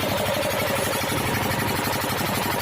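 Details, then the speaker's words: 12hp diesel engine after piston ring and block work runs with a fast, even chug and no knocking or rattling. The engine sounds fine and is ready to take load. "तो जैसे दोस्तों आवाज़ कैसे बिल्कुल बढ़िया ए रही है"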